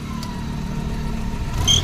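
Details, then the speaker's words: Maruti Omni engine idling: a sharp high chirp cuts in briefly when the headlights are switched on; recently fitted fan/alternator belt slightly loose and slipping. "लेकिन इसमें problem क्या है देखो ये belt है ना हल्की सी लूज है देखो ज्यादा लज है"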